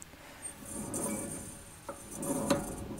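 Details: Alfa Romeo 156 GTA rear wheel bearing, hub spun by hand with the wheel off: gritty, swelling rumble with irregular metallic clinks from a worn bearing, before replacement.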